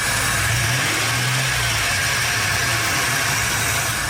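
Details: Engine revved after starting on freshly charged Odyssey AGM2 TPPL battery, alternator charging near 14.3 V; steady note, even rise in revs, no knocks or ticks, healthy.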